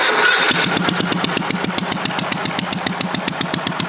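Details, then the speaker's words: Cub Cadet 3050 four-wheel-drive garden tractor with a homemade muffler: small single runs steadily, raw sharp exhaust cracks about four a second, barely muffled; sounds worse when revved; loud exhaust, ineffective homemade muffler. "See, it just sounds like it ain't hardly got no muffler at all. It even sounds worse when I rev it up."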